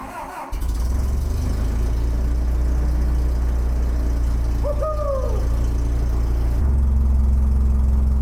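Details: Terex crane diesel, after an electrical fix to a solenoid wire, cranks, catches at once and settles into a deep, steady idle with no hunting or misses; normal idle.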